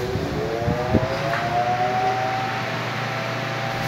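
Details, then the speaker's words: Arno Silence Force fan that would not turn on, running after its switch terminals were replaced with proper connectors instead of soldering: steady, even motor hum with a faint smooth whine, no rattle or scraping; working normally. "e agora nós vamos aqui beleza funcionando show de bola"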